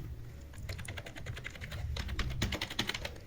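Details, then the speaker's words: Keyboard after a DIY repair of a dead keyboard: quick irregular key clacks, about four a second, crisp and even with no dead or sticking keys. Normal typing after the repair. "Can type anything you want. You can even go on a typing competition with it."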